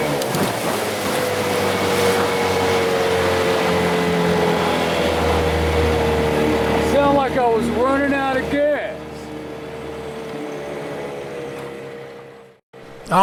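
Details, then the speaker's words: 15 hp Johnson outboard on a boat with the transom cut from 16 3/4 to 15 inches: a steady drone drops sharply in RPM and runs on weaker. It sounds like running out of gas; the cause is unresolved. "so that was one hell of a drop in RPM. If you missed that, I don't know what to tell you. That was the most obvious time."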